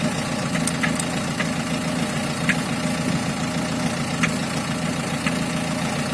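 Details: Diesel engine at idle: steady clatter with a faint, irregular light knocking riding over it; engine knock of unclear cause.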